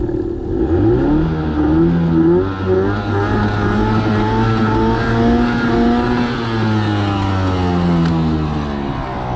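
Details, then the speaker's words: Bass Tracker boat pull-start outboard on its first outing after restoration, being primed and started at the dock. Catches and surges, its pitch wandering instead of holding steady; sounds weird and nearly stalls. Owners suspect they flooded it, cause not confirmed. "It's It's wanting There's some fuel. Hold it. Oh, she wants it. Just sounds weird."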